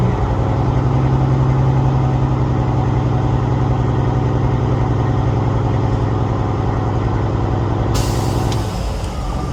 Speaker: All right, she's all the way to cut out. Shut her back down.